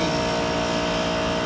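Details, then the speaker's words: 12-year-old 20-ton commercial HVAC package unit at a bar, with freon leaks in the evaporator coil and icing on the line: loud steady drone with a harsh buzzy hum; the compressor sounds rough and bad. "What's happening is that the unit has freon leaks, plus the compressor doesn't sound good. It sounds really bad as well."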